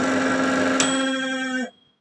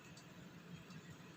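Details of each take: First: Samsung manual microwave, model M171N, reported as noisy: loud buzzing drone with steady mid-pitched tone while running, possible shorting sound, cutting out at switch-off. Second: Samsung manual microwave M171N after repairing the cooling fan bushing, retested at about 300 degrees: quiet, steady low hum with no rattling, buzzing or scraping; running normally, noise gone.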